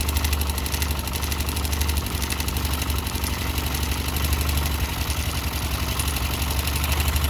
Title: Barulho no motor yb